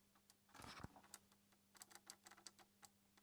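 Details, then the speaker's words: Fiat Panda 4x4, ignition on, microphone close to the idle actuator: faint irregular ticks over a low steady hum whenever the wiring near the firewall is tugged; damaged wiring is shorting the idle actuator circuit. "And I located the sound to the idle circuiting, to the idle actuator thingy sensor down here. And each and every time I tucked the wires back here, it made this sound."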